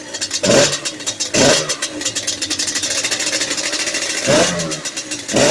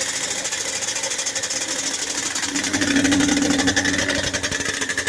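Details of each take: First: Yamaha Banshee 350 two-stroke after a full top and bottom end rebuild and new clutch, still cold, running rich with a cracked pipe and jetting still needed: sharp throttle blips, then an even idle that no longer wanders; normal idle. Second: Yamaha Banshee 350 two-stroke quad, first start after full top and bottom end rebuild and new clutch, on choke: fast crackly idle climbing and hanging high instead of settling; idle suspected set too high, not confirmed.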